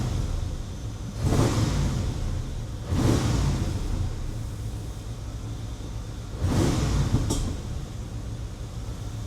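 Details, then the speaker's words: 1997 Chevrolet Camaro SS V8, low mileage, persistent misfire two shops couldn't fix: short revs over a rough, uneven idle with sharp backfiring pops; runs well above 3,000 rpm so flat cam doubted, partially fouled plugs suspected. ">> What's that noise? It's kind of backfiring."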